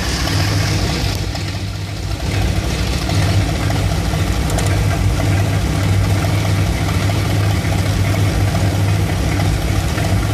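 Deep V8 idle with an uneven, loping beat and occasional stumbles rather than a steady rhythm; the idle is rough, cause not apparent. Cause suspected, not confirmed.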